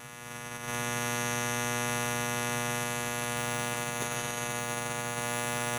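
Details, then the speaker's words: Behringer audio mixer under repair, headphone output held to the microphone: loud, steady buzz with low hum and harsh edge, present even with main mix turned down; failing power supply capacitors causing mains hum. "Oh, okay. We're getting a terrible buzz. That's what it is."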